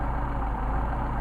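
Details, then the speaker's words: Mercedes 190SL with Solex carburetors being tested, idle mixture screws adjusted in and out to find midpoint; deep idle with slightly uneven lumpy beat, stumbling when idle mixture screw set too far off. "Back it out. Starting to stumble again. Run it back in and get our midpoint, where it feels and sounds the best."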